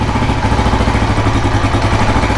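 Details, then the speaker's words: 1984 Kawasaki KLR600 kickstart single, engine rebuilt, cold start after sitting; steady low uneven thumping idle on choke, starting to die so held up with a bit of throttle before choke is removed; doesn't like running on choke long. "so I'll see you started here it's starting to want to die so I'll give it a bit of throttle to pick up the idle speed and then I'll pull I'll remove the choke"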